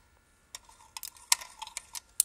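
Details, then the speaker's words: Willys Jeep, engine not running, key switch on, screwdriver touched across the distributor points: irregular sharp snaps and ticks of spark jumping; plenty of good spark at the points, ignition healthy. "so see that we got plenty good spark down there"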